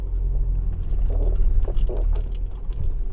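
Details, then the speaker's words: 15-year-old Audi A4 with 83,000 km rolling slowly downhill: short creaking squeaks over low rumble, like a rubber sleeve rubbing, heard on both sides; front control arm bushings found cracked. "Rings on both sides Well, it's like a rubber sleeve rubbing right there."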